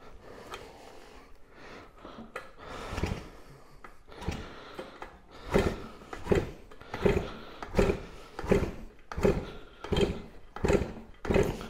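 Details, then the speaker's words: 1999 Yamaha PW80 two-stroke dirt bike kicked repeatedly about once a second, hollow swish without firing; low compression, weird detonation-like noises, won't start; cause unconfirmed. "doesn't have a whole lot of compression to speak of either once you start kicking on it it's making some weird noises almost sounds like a detonating [Music] noise"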